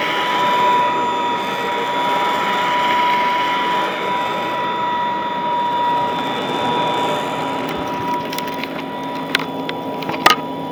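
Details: Vintage all-metal Royal Model 153 vacuum, owned 22 years, 3-amp bushing-style motor; smooth, steady quiet hum with constant whine near 1 kHz and a few light clicks near the end; normal running.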